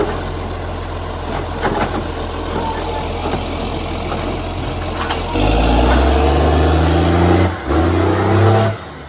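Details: Canada Bay garbage truck SL780 (Euro 3-style Euro 5 facelift) with a leaking exhaust pipe: loud, raspy diesel idle that swells sharply on each rev, far harsher than normal. Exhaust leak, since fixed.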